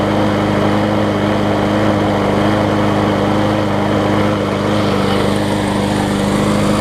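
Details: John Deere JS63C walk-behind mower, a free pickup, running again after a new flywheel key was fitted: steady, even engine drone at constant speed with no stumbling or surging, running smooth and healthy.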